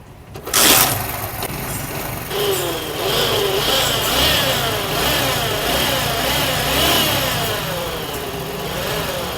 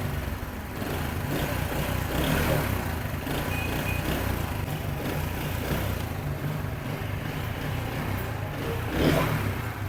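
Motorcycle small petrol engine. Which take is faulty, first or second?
first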